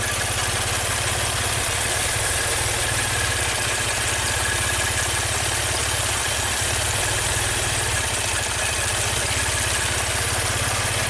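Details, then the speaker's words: 2016 Maserati Ghibli Q4 twin-turbo V6, 60k miles, idling during coil-unplug drop test: steady but lumpy uneven pulse with hiss, runs about the same with the dead bank's coils unplugged; dead cylinder bank misfire. "It runs about the same with this bank completely unplugged."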